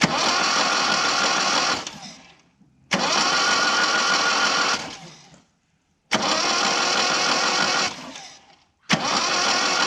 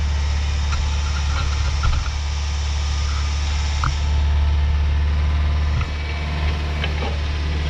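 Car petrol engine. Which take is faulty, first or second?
second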